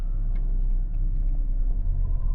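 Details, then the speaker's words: Great Wall Wingle (V240) camper, Mitsubishi 2.4-litre petrol, pulling away with the air-conditioning on: low, even drone with a coarse, buzzy harshness from the AC compressor load; sounds much nicer with the compressor off. "it sounds like in this on micro or maybe that's the aircon compress of its create oh yes it is it sounds much nicer without the aircon compressor on"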